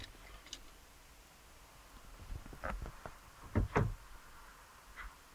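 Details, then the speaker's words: Opel Zafira B 2007 (also called 2006) with Easytronic semi-automatic gearbox: with brake pressed and neutral selected, the gearbox actuator only gives a few sharp clicks and won't engage neutral; engine management light on, reverse engagement delayed; clutch actuator clicking. "now I'm trying to put it into neutral and nothing I could just hear the click engine management light is on this is what I'm facing as now"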